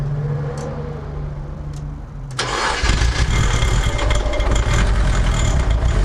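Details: Nissan S13 SR20DET first start after installing eBay turbo, IS-R turbo lines and ECU-connected oxygen sensor: starter whirs briefly, fires first try, then holds a steady, slightly high warm-up idle without stumbling, no smoke; normal cold start.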